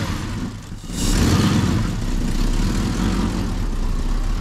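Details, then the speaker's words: Lexus 1UZ-FE V8 swapped into a Jeep KJ, after earlier engine issues were sorted: fires up easily and settles into a smooth, even V8 idle after a light blip, with no knocks or misses; fuel level possibly low. "as you guys can hear just fires up so easily now sounding so good"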